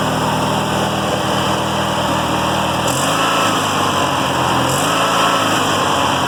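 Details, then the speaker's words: Small single-cylinder riding mower engine after fitting fuel filter and fuel cutoff and pulling the carburetor: steady fast even putter with no misses or knocks; normal running. "crank it up for you and y'all could hear the little engine run and go from there ain't no joke yeah it has been run for this no joke no gas"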